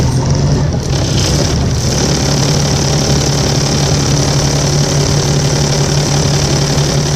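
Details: Volvo 7700A city bus (Budapest) diesel at a steady idle with a persistent low drone and a thin high whistle riding over it. Abnormal engine noise; the cause is unknown, and these buses often make such sounds.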